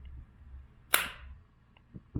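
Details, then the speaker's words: 2000 Acura 3.2 TL original starter motor, about 607,169 miles, bench-tested out of the car with a jumper lead simulating the key after a no-crank condition: one sharp click and faint taps, no spin; the starter is dead. "Yeah, this motor's tired. It is not rolling. Try it again."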